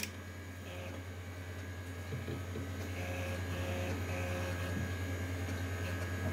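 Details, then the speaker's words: Apple Quadra 700 internal floppy drive after cleaning and eject-mechanism repair: steady hum, then soft clicks and a brief whirr as the macOS install disk seats and is read normally; drive loads and works. "bruit de disquette. Hop là. Donc on a la disquette qui est chargée. Donc ça fonctionne."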